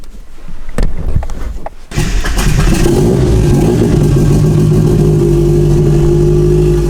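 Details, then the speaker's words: Turbo car's first start, alternator charging 14.5 volts, open downpipe; cranks and catches, then loud raspy uneven idle that stumbles, owner suspects it's running a little rich, probably why it's breaking up. "So as you can tell, this car sounds like absolute trash because open downpipe right now. It's running a little rich. It's probably why it's breaking up."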